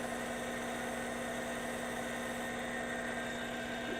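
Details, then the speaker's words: APQS longarm quilting machine hook in manual mode after compressed-air cleaning and a WD-40 spray: steady, even hum with no rattle or tinny clatter. The hook now runs smoothly and less rattly. "Hear how it's not it's not as rattly now?"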